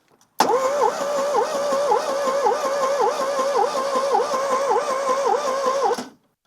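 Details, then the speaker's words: Long-sitting car on a jump pack: starter cranks at an even rhythm, about two compression beats a second, seems to have compression, fuel pump heard priming, but engine never catches; fuel age, spark and fuel still unchecked. "right, it actually sounds like it has some compression. So that side of it is pretty good. Now, I don't expect it to be able to run."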